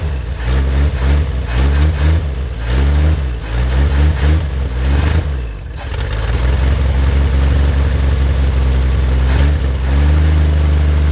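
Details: 1950 Chevrolet Fleetline Deluxe six, sitting for years, possibly stuck float jogged loose, accelerator pump working, kept cold: several quick throttle blips fall back cleanly into a deep, steady, even idle; normal running.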